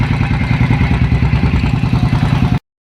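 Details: Royal Enfield Thunderbird 500cc fuel-injected single, a bike brought in for stalling when put in gear. Big single thumps at a steady, even idle with no stumbling or dropouts until it is switched off: normal idle.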